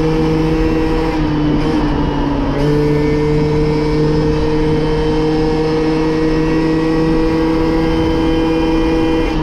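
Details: Moped/scooter (MBK) two-stroke after carburetor leaned out, top speed up from 30 to 70 km/h, still slightly soft low down; steady buzz holds and climbs smoothly under load with no bogging.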